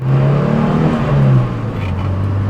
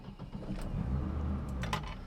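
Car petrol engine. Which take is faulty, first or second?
second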